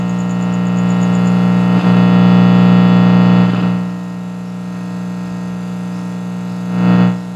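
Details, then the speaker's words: Attack CM 1515 active speaker powered on with no audio input: loud, steady low buzz with a gritty edge that swells and dips, a cooling fan noise also suspected in the audio; loud hum from the speaker output, cause unknown. "vou ligar a caixa sem inserir nenhum sinal de áudio para gente ouvir o barulho que essa caixa está fazendo"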